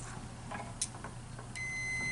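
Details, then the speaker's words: 2008 Chevy Silverado Duramax glow plug test with an ohmmeter in continuity mode: short tick then a steady high beep on the new glow plug, showing continuity; the old burned-out plug gives no tone. "so that's one way to check to make sure you're doing the right glow plug is to get your ohm meter your voltage ohm meter and this one here like i said this isn't has a tone but got a tone that's the that's the new one"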